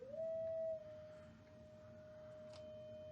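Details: 1964 Fender Bandmaster head after service and grounding rework, into bench attenuator: pure steady tone slides up then holds clean, no hum, crackle or distortion; amp passing signal properly.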